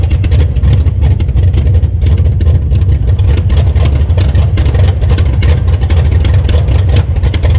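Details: 1966 Plymouth Belvedere V8 after swapping a flooding Quadrajet for a rebuilt used Edelbrock carburetor: deep, steady low rumble at idle with an even beat and no stumble or miss; idling smoothly and healthy.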